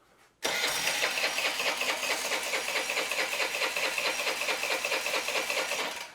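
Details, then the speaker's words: Old Honda Elite 80 scooter on the bench, no throttle cable, starts after carb cleaning but won't start after sitting: starter spins it with quick even compression beats for six seconds but it never catches; clogged idle jet. "but for some reason i'll clean the carb it'll start and be fine then any amount of time you let it sit it will not start"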